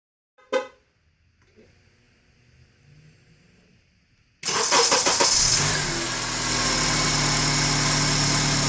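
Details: 2003 Honda Accord engine bay at idle: after a quiet start, a fast, regular metallic rattle over the hum. The belt tensioner was recently replaced, and power steering and alternator are ruled out; owner suspects a water pump shaft bearing.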